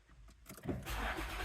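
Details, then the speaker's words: 2008 Infiniti FX35 after tailpipe repair with clamp-on couplers and new pipe, no welding; quick crank into a soft low idle without raspy puffing or ticking: normal, much quieter exhaust note. "Way quieter. Scale of 1 to 10, how much quieter is it? Probably 10. Very. Very much quieter."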